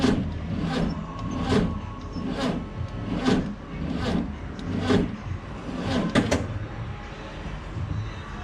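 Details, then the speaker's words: VW 21-window Bus in a cold shop around 17–20 degrees, before jump start: slow, labored cranking about one heavy turn every 0.8 seconds, too sluggish to fire; battery nearly dead. "Okay, so it's pretty dead. Nowhere near enough juice to crank this thing over."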